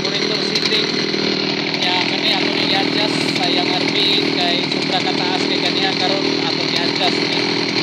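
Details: Old Zenoah chainsaw that had a hard-start problem, choke opened after starting: a small two-stroke buzzing at a steady high pitch with a clean, even note and no stumbling or surging. It is running properly after the fix.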